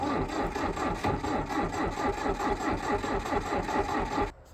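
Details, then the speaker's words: International 125E power-shift track loader sitting about 10 years, started with a quick crank; old diesel settles into even idle a little over two beats a second with dry clatter, steady until shut off; oil still pouring from belly pan. "well fired up real good with a quick crank over but unfortunately uh I didn't see any oil leaking up here"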